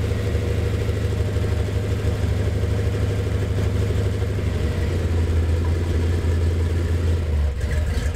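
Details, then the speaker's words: Gen VI L29 454 big-block on an engine stand with factory ZZ502 hydraulic roller cam ground on 110 lobe separation, test-stand headers, coolant up to about 180: deep, choppy loping idle with no knocks or ticks; healthy engine with cam lope. "It's a nice cam, and for a GM cam, it's cut on a 110, so you get a pretty decent lope to it."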